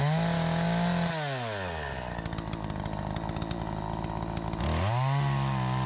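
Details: Troy-Bilt 20-inch chainsaw cutting after carb adjustment: the high, clean rev drops and holds steady in the cut, then snaps back crisply to full speed. It pulls strongly and is healthy; the owner thinks a bit more RPM is available.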